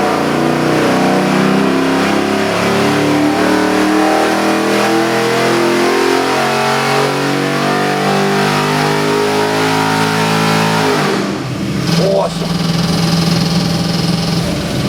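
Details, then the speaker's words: Custom-built Chevy LS7 441 cubic inch crate engine with drive-by-wire throttle body, for a 1969 Camaro; a deep V8 bark revs up strongly and drops back to a choppy, loping idle with an even beat, healthy. "Runs beautiful. Nice muscle car chop to it too."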